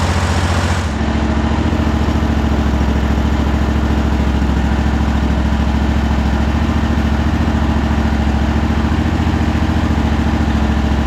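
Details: Cub Cadet Super LT 1550 started after finding the fuel-delivery issue, vacuum pulse line about to be reconnected: catches within a second and settles into a steady, even low idle with no misses or stumbles.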